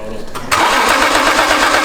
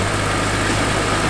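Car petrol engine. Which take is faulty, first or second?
first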